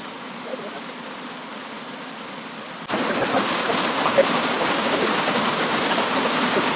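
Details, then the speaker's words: DIY hydroelectric penstock pipe, valve opened for first flow test: quiet trickle, then sudden steady loud rush of water from about three seconds on; normal full flow through the pipe. "That's a lot of water."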